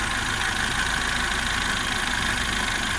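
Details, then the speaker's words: Car idling after fuel pump replacement, running 15-20 minutes with no issues; smooth steady idle with light even whir, no knocks, misses or stumbles; normal idle. "Like I said, still running. Been running for about 15-20 minutes. Don't seem to see any issues with it."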